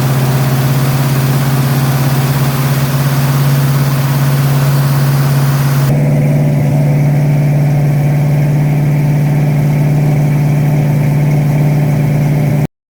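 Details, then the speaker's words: 1972 Mustang Mach 1 351 Cleveland Cobra Jet, first start after rebuild, cold, on the high idle cam with no adjustments yet: loud, fast idle with lumpy, uneven beat; untuned rough high idle. "It has no adjustments or anything. Of course, it's not going to sound right. It's sitting high idle on the high idle cam and it's cold."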